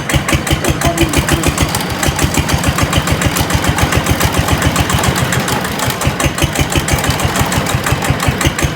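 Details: GA70 engine mount setup finished and hand-started: steady, even exhaust pulses at a constant idle, no leak sound, knocks or misses; smooth-running engine.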